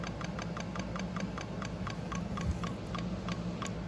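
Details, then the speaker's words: Honda Shadow bobber project with electrical trouble after a starter solenoid install: steady rapid clicking, three to four a second, when the start button is pressed, engine never turns over; a fuse had blown and a connector smoked when reversed. "It's not the solenoid, but the solenoid, when I do hit the start button, it just does that."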